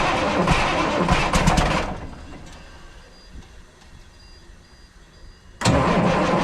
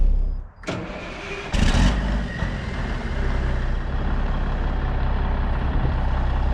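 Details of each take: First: 1994 International 9600 cabover, N14 Cummins diesel, 561,000 miles, fresh batteries after sitting non-running: catches, runs rough two seconds, dies, cranks and refires; oil and water light blinking. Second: 1994 International 9600 cabover, N14 Cummins diesel, 561,000 miles: after fixing the air line fitting and unplugging the low-coolant sensor that was shutting it down, it catches after a couple of cranking bursts into a steady, deep, even idle while building air; runs normally.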